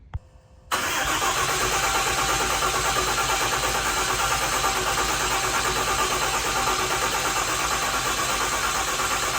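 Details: Freshly built deckplate Cummins diesel before break-in, injector plugs unplugged, cranked in neutral to build oil pressure: starter turns engine over at steady, even rhythm and it never fires; normal priming crank without firing.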